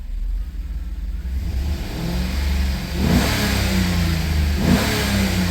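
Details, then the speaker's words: Chevy 5.3 V8 after DOD/AFM delete with new lifters, guides and cam, reflashed with deactivation codes disabled, good oil pressure: two clean blips, pitch rising and falling smoothly, no ticking; the earlier lifter tap is gone. "that's nice doesn't sound too bad now whole lot better than that Tippy tap tap that was going on"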